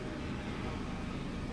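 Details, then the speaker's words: 2011 Mitsubishi Lancer after the EGR valve fix for code P0401: the earlier heavy shaking is gone and idle holds stable at about 700 rpm; low, smooth idle without hunting. "Pues eso ya desapareció y miren se mantienen estables las rpm aproximadamente está entre 700 rpm"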